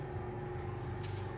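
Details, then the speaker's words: Skoda Octavia A7 1.4 manual with MQ250 gearbox, just started after clutch replacement done to cure a clutch knock: steady, even low idle hum with no rattle or knock from clutch or flywheel; everything sounds as it should. "полным ходом идут работы по замене сцепления завершены все собрали завели проверить отрога сама вместе к все плавник как и должно быть"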